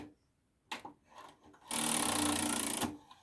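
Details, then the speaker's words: Sony MD5 JE510 MiniDisc deck, empty tray after eject: a rapid, uneven mechanical chatter about four times a second, guessed to be trying to grab something; it hops between welcome and eject and stops once a disc is inserted. "first of all this eject function here works just fine but it makes this weird raffle once it's come out which I'm guessing it's trying to grab something"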